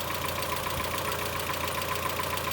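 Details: Mazda Miata petrol engine at idle with quick, even metallic lifter ticking; Rislone engine treatment added with oil change, PCV valve also replaced; much quieter after about 24 hours.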